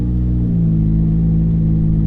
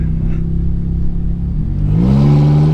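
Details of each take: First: Ferrari F430 F1, pulling away before the PIS (point of initial slip) clutch adjustment. Revs flare and hang high while the car barely pulls; the clutch slips substantially before engaging, with the engagement point set too loose. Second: Ferrari F430 F1 after the PIS (point of initial slip) clutch adjustment. On a slow start the revs barely reach 2,000 rpm before the clutch bites in a firm, clean take-up; no over-rev on upshift. Normal engagement.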